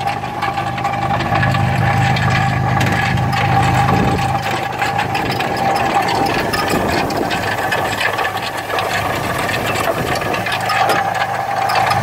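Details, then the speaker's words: 1981 Ford Capri 2.8 Injection 4-speed manual, heard while driving: uneven rattling clatter, three or four hits a second, over rough idle; loose engine fan blade striking. "oh my god that's my fan come blade"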